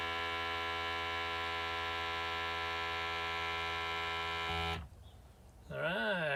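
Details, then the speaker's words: DIY gear oil transfer pump pressurizing a tank more than half full of 90-weight gear oil: steady, even buzzing motor hum at one pitch for several seconds, then cuts off cleanly when fully pressurized; normal operation. "then here you can hear the pump pressurizing the air in the tank [Music] but wait till it shuts off that means it's fully pressurized"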